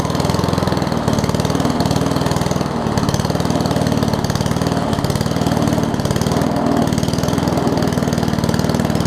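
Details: Murray push mower with Briggs Classic engine after gas tank swap and oil top-off, governor spring appears missing: single-cylinder putter steady and slow with no speed pickup; low idle.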